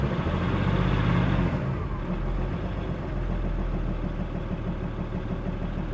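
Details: Audi A6 C5 2.5 TDI diesel at idle: deep, uneven knocking pulse roughly three beats a second, engine knocking.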